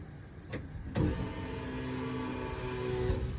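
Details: EG Civic sedan AWD build, new 10-gallon trunk fuel cell with AEM 340lph in-tank pump and -8 lines, priming a never-filled rail: steady mid-pitched whine about two seconds with a buzzy edge; owner suspects something in the tank.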